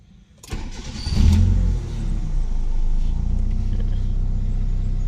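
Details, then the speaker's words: Mitsubishi E-Car 4G92, morning start after repair of ignition, fuel, idle and airflow for poor acceleration and unstable idle: brief crank, catches almost immediately and settles into an even idle; quick clean start. "ติดง่ายนะครับถ้าเราทำระบบดีๆนะครับระบบดีๆอย่างที่ผมทำเนี่ยไฟน้ำมันนะครับ"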